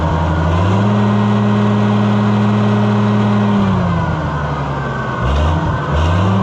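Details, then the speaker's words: Oliver 1650/1655 tractor, about 3,800 hours, after new Delco-style distributor replaced a long-hated one: steady even note holding speed, easing off and picking back up cleanly; running well, gauge working again. "That is snazzy. Awesome. All right, another runner and another one of these for the garbage pile."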